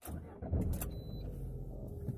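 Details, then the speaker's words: New one-year-old Lada Granta, about 20,000 km, after lubricating and wiping the front door areas to cure a creak: cabin road rumble and soft bumps on an uneven road, doors no longer squeak. "И, блин, реально это помогает. Больше не скрипит. Вот сейчас по неровной дороге еду."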